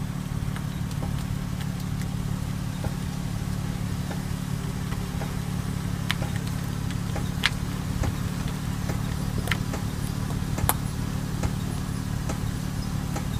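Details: 2000 Toyota Avalon driving after about 25 minutes, not in reverse: steady drone with intermittent light scrapes and ticks from the rear parking brake drum behind the rotors, later fixed.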